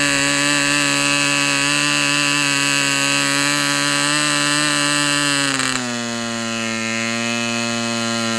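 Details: Fox Twin glow engine, glow igniter left on throughout: steady high buzz, then dropping smoothly to a slightly lower steady speed, running clean; peak 10,180 rpm noted for this run.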